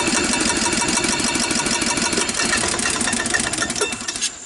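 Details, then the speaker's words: 1993 Club Car golf cart, sat unused, micro switch bypassed and transmission in neutral: engine fires with a ragged beat for a second or two then dies; owner suspects carburetor sludged up from sitting. "it'll kind of fire for a second or two and then stop even if you hit the button so I think from sitting what happened is the carburetor is now sludged up"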